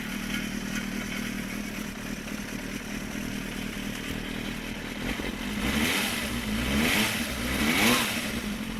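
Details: Suzuki GSXR 400 (GK73A) on side stand: dry metallic rattle over the idle persists through throttle blips; cam chain tensioner already replaced without change; engine rattle, source unknown.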